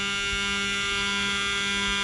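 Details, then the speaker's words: Mercedes SL600 repaired throttle bodies with ignition on: steady high electrical hum at constant pitch, no chatter or buzzing, as throttle motor cycles through learning; normal throttle learning hum. "It always does learning. There goes the learning."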